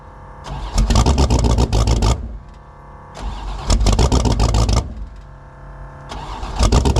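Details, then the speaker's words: 1984 Fox Body Mustang drag car, about 350 hp with no choke, cold start at about 20°F: long bouts of cranking with ragged catches and stumbles before it stays running. The 878 CFM carburetor is too big for the engine. "We finally got this thing to stay running. And um the carburetor on it is way too big. It's got an 878 CFM carb on it and it's only got about 350 horsepower."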